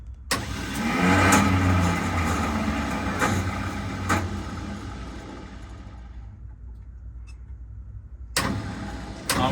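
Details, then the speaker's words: Retired 1979 fire truck with two-stroke Detroit diesel, sat for years, on weak batteries: engine turns over sluggishly in a labored surge that fades, almost rolling backwards, without catching; slow cranking, starter later banged on. "It's like rolling and then starting to roll backwards almost."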